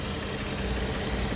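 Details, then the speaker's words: 12th-generation Toyota Crown 3.0 V6 just after an overhaul for oil burning (new rings, valve seals, sleeves): a quiet, smooth, even idle with no stumble. Tensioner and idler pulleys, not yet replaced, have some abnormal noise. A normal idle. "Now the whole working condition is very beautiful. I will show you the jitter and vibration. It is also very perfect."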